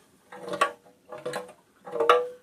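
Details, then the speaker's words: Carburetor of a 5 hp Briggs & Stratton gear-reduction engine, full of black varnish-like old fuel, shaken by hand: short clattering bursts of something hard rolling inside; a fallen brass primary pickup tube loose in the carburetor. "There's something solid down inside here. I don't know what it is."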